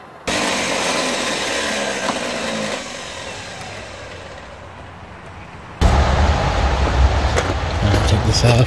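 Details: 1994 Chevy 3500 HD big-block tow truck, sat for years in a lot, fresh battery, fuel pump possibly heard, starting fluid sprayed: two bursts of uneven labouring cranking with a lull; turns over but won't start, fuel supply next to check.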